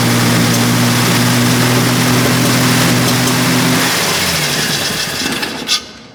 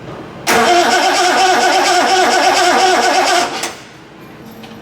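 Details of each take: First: Triumph TR6 engine, restored and started after injectors were checked for a good spray: a steady, even note for about four seconds, then it dies away smoothly. It runs with no big-end knock; a timing problem is still suspected. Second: Triumph TR6 under restoration, on a start attempt: steady cranking for about three seconds with no firing. There is no spark at a test plug, later traced to alternator connections wired the wrong way, with the coil lead connected elsewhere.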